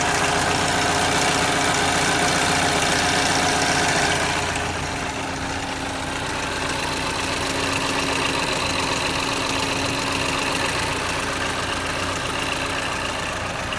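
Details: 2011 Chevrolet Equinox at idle: loud steady idle with a fast, even ticking clatter, about 220 a minute; loud engine noise, dealer says normal, cause unclear.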